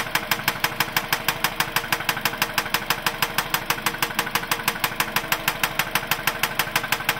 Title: 03 Mazda 6 2 3L Knocking Sound